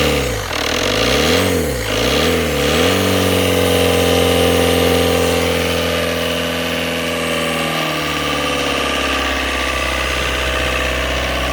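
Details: Tata Indigo diesel cold start after 5 years parked, fuel primed with the lift pump. The engine catches, revs unevenly for a few seconds, then settles into a steady idle. Hesitant cold start after long storage.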